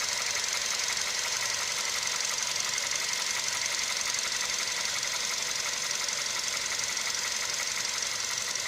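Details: VW CFNA engine at hot operating temperature, idling: steady, even metallic tapping about twice a second over a hissy background; engine knock when hot.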